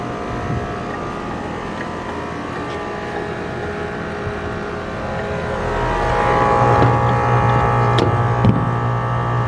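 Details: AC condenser on a no-cooling call, restarted after adding a hard start; compressor rated 19.9 A, fan about 1–1.2 A. Steady low hum with fan rush swelling slightly then holding even: compressor and fan running normally.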